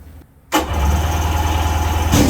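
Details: 1996 Sea-Doo Speedster twin engines, first start after MPEM removal and rewiring with relays; quiet, then a crisp catch into an even steady burble, second engine joins and both idle smoothly, normal start.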